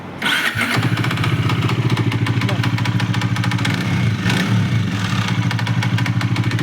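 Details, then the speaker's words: Bajaj Dominar 400 at idle: a fast, even tak-tak ticking that keeps pace with the engine, caused by a fully loose nut on the engine. "है यो डोमिनारमा चाहिँ एकदम इन्जिनबाट चाहिँ sound आइरा छ है ट्याक टक्याक talk talk talk गरेर हामी सुनाउछौ है त।"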